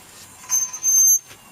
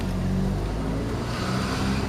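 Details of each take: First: Rear wheel of a Honda Civic 2.2 CTDI, raised on a jack and turned by hand: short high-pitched squeaks come and go, suggesting rubbing at the hub or brake. Bearings being checked, pads have about 1 cm left, disc checked for warping; cause unconfirmed. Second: Honda Civic 2.2 CTDI with rear wheel squeal, after removing and refitting the wheel (stone suspected, nuts possibly loose): slow roll with only tyre and road hum, no squeal or scraping; squeal gone.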